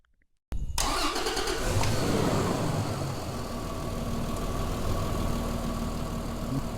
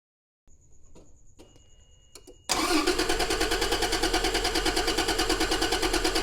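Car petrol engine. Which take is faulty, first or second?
second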